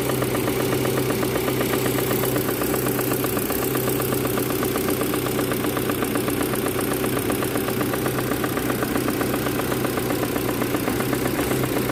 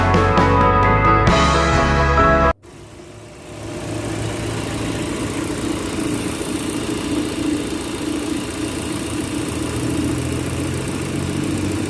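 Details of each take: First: Proton Campro engine with a faulty AIFM intake manifold flap: a steady idle with a rough, uneven patter of two or three beats a second, linked to power loss and high fuel use; the fix is a manifold replacement or adjuster kit. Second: Proton Campro engine (AIFM) idling after a short burst of music: steady, even idle with a low drone and no roughness; engine sounds healthy.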